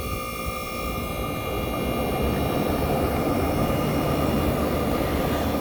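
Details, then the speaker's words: 1965 Fedders Weatherwheel air conditioner on high cool, mic near its Tecumseh AJM compressor, fan cut off so the compressor can be heard: steady, even hum with a faint constant tone, no knocks or rattles; normal compressor running. "This is the Tecumseh AJM compressor running. So yes, guys, you might tell me this sounds like the Chrysler, but you are right."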